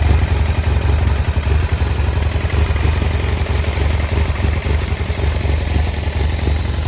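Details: 2009 BMW F800GS at idle, extremely rough and cutting out in traffic: lumpy, irregular stumbling beat; one idle-speed actuator vacuum hose is torn and the other broken off the air box spigot (fixed with new hoses and a connector).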